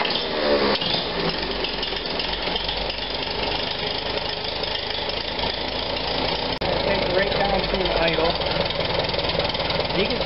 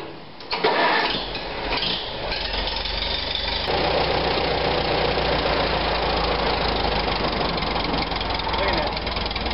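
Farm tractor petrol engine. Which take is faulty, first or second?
first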